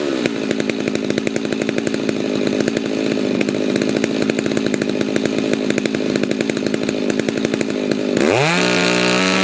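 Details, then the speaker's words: Stihl MS290 chainsaw after muffler mod, high-speed carb screw backed toward rich, run at full throttle: screaming revs with a rough, uneven burble (four-stroking); high-speed mixture slightly rich, the desired setting rather than too lean. "if you as you back it out to towards the rich side you're going to start hearing it burble a little bit starting going to sound a little bit rougher"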